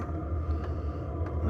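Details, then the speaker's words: Diesel heater installed in an Alu-Cab canopy camper, fired up with silencer fitted on the exhaust: steady low rumble with an even, soft pulse and no knocks or rattles; burning cleanly, normal running. "well there she is she's all fired up and running we've got the silencer on the end now"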